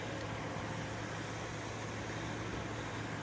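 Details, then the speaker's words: Ryobi misting fan after freeing its seized water pump rotator, running with vinegar-water solution, fan on and pump on high: steady low hum with constant airy rush, no rattle or labouring; running smoothly. "Fan on, pump on high. You can already see the water flowing. Here comes the jets."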